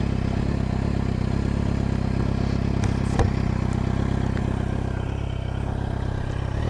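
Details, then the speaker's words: Motorcycle with engine refurbished and repainted in high-temperature paint: steady, even low idle, smooth regular beat, no knocks or rattles; calm healthy normal idle. "voilà la bécane c'est impeccable 1 et calme comme vous pouvez voir"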